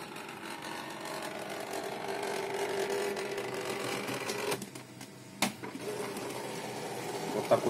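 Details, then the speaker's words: HP LaserJet Pro M132 scanner copying with the lid open: unpleasant rough crackling buzz under the scan bar's travel from a failing scanner drive motor. "звук неприятный треск жужжания на качество картинки я не смотрю"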